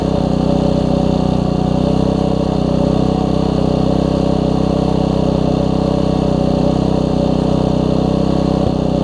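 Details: Troy-Bilt Tuffy tiller Briggs & Stratton single-cylinder after a new carburetor and diaphragm, quarter tank of gas: runs smooth and even at steady speed with a clean, consistent beat and no misses; running better than before.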